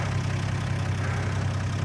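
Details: 1980 Plymouth Volare slant six, sat for years and now cleaned up. A smooth, low, steady idle with an even beat and no knocks or misses: a healthy six-cylinder idle.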